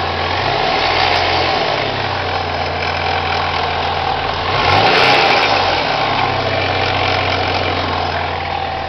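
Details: Supercharged Chevrolet Cavalier with an M45 blower, idling after a brief rev: a fast, fairly regular ticking rattle over the idle. Owner places it near the pulley and timing chain area; the cause of this abnormal idle noise is unknown.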